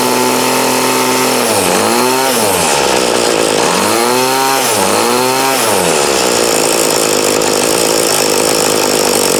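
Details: 2008 Troy Bilt TB20CS 31cc two-stroke trimmer after new fuel lines, fuel filter and primer and a carb adjustment: revs up and down cleanly, then settles to an even idle; running well, carb needs slight tweaking.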